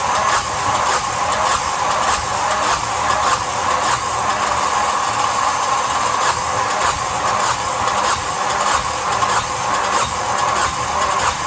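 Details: Yanmar SB12 marine diesel after fuel line repair and repeated bleeding, at about 41°F: steady, even cranking with a slow regular pulse and no catch; cranks but won't start, cause suspected, not confirmed.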